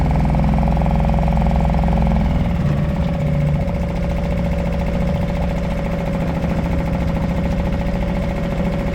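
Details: Suzuki 2.5 HP DF outboard in neutral in a 5-gallon water bucket, oil barely in sight glass after a low-oil-sensor no-start, dirty water from exhaust: settles into an even, steady idle with constant hum, no misses or rattles; healthy.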